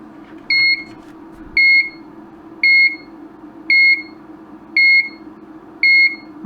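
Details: Broken LED dot-matrix scrolling sign on bench supply after fitting a new component: high double-pitched beep about once a second, nonstop at power-up; the sign fails to start.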